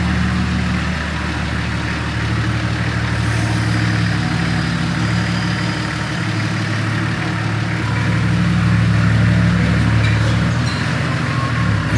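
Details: TD42 diesel Nissan Patrol, freshly built with an F66 turbo, 11 mm boost-compensated pump and 14 lb wastegate spring, on the dyno. Settles into a steady idle at about three beats a second with a deep hum, no knocks or misses. Normal idle.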